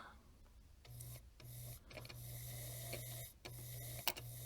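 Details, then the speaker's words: Vintage Singer sewing machine after foot pedal controller repair: motor cuts in and out in short runs with a steady low hum, never settling slow; lowest speed limited by too wide a gap between the two upper metal pieces of the pedal. "so notice perhaps this is about the lowest speed and this low speed depends really on that gap between the two metal tubs the upper ones so if that Gap it's higher you will not get a low speed here"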